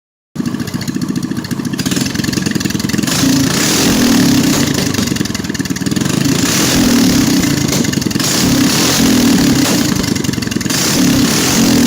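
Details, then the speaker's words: GX200/Predator 212 clone engine with plug-and-play CDI kit: small revs rising and falling, crisp even popping on each let-off as the idle jet keeps feeding fuel after the main jet cuts; timing right, engine healthy. "Be sure to pay close attention to the sound on deceleration. As the fuel flow is cut from the main jet, the idle jet continues pumping gas."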